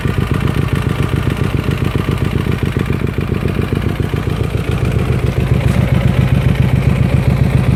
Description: Knocking sound in hyosung gt 250r..this sound appears when you ride ur bike with no engineoil...so pls check your enginoil whenever u go on long rides...